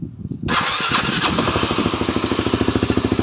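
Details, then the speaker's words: Honda Sonic motorcycle fitted with a fuel-injected CBR150i engine: short crank, catches at once and settles into a steady, evenly pulsing idle; starts very easily. "ง่ายนะครับติดง่ายมาก"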